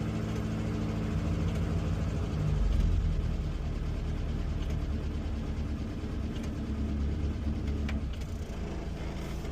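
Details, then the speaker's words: Series 2 positive-earth Morris Minor idling after a new ignition coil was fitted, ignition light off: soft, even, low idle rumble holding a steady beat with no misses or hunting; normal idle, coil working. "sounds good. Yeah. Yep, sounds fine."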